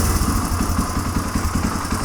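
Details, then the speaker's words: Warm 1997 Suzuki DR350 single-cylinder, Mikuni TM33 carburetor leaking gas from the overflow: idle thumps unevenly, speed wavering and slowing toward stalling. Owner suspects a rising float level enriching the mixture, possibly a dirty float needle valve. "but listen to the idle it will fluctuate I hear that it'll get worse here it slow down yeah in fact it'll probably eventually die"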